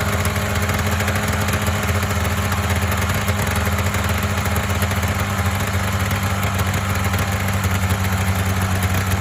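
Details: Polaris Indy 500 two-stroke snowmobile after used-parts top-end rebuild (head gasket failure, no compression on one cylinder): busy steady buzzing idle, no misfire gaps — normal idle.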